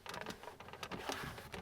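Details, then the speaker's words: 2022 Toyota Tundra SR5 TRD Off-Road at two months of ownership, quiet cab: light irregular plastic ticks and clacks with each light press on the armrest; loose center console rattle that has worsened over time. "In my very first video, I talked about how much this console rattles. Mine it's so bad now."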